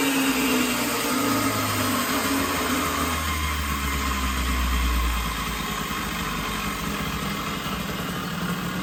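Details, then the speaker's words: 1980 Puch Murray top-tank moped with Tomos TX50 A35 top end, Puch Maxi high-torque head, Mikuni VM18 carb and reed intake, custom Estoril pipe, somewhat warmed up at about -3 °C: raspy two-stroke buzz wandering and stumbling, needs jetting and carburetor tuning. "this thing is definitely going to need a lot more tuning, and it's still -3 degrees or so right now, so pretty cool."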